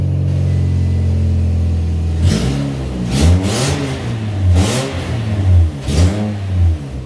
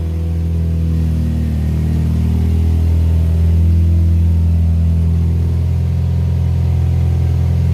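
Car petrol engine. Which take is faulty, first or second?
first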